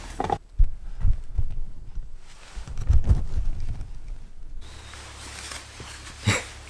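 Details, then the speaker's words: Hot water mat boiler about 3 years old, noisy and not warm: irregular low bubbling gurgles and soft thumps in bursts from scale clogging circulation. "왜 고쳐야 하냐면 방금 아까 소리를 들으셨듯이 뽀글 뽀글 뽀글 뽀글 이런 소리가 나면서 지금 이게 쓴지 한 3년 정도 됐는데요. 별로 따뜻하지가 않습니다."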